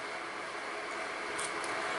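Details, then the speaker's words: Prem-I-Air EF-880 Peltier dehumidifier with 13.6 V 5 A supply, opened because it collects no water: steady even airy hiss from the intake fan cooling the hot side, no ticking or rubbing; fan runs normally. "so what happens is there's a fan you can hear the fan running and take my word for it there they're coming at the top there the fan that draws the air in through the grille"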